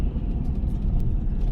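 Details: 65-year-old original American Standard oil furnace with new Carlin EZ-1 burner; steady even low roar, no whistle or pulsing.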